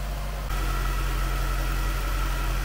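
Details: 2003 Jaguar S-Type R supercharged V8 with two new oil catch cans, dipstick seated and connections leak-free: smooth, even low hum with no ticks, hiss or stumble. Normal idle.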